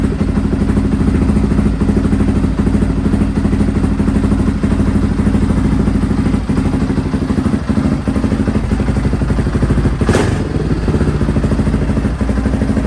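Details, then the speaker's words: Honda XR650R at first start after a week of trying in the cold, after years unused and with the intake manifold warmed: steady, even single-cylinder thump at idle, quiet engine and exhaust, no knocks; normal idle, tiny oil and water leaks. "so okay so i'm really happy to hear it that's the first time i've ever heard this bike and the engine sounds quiet the exhaust sounds nice"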